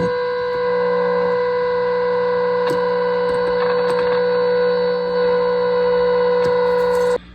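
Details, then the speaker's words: 1937 Airline 62-317 antique tube radio, after chassis repair and during transformer alignment at the 6K7: steady buzzy tone near 500 Hz with a rough, gritty edge; output is distorted because the alignment is still not right. "Make a few adjustments here. Okay. Wow. It's a little distorted, but..."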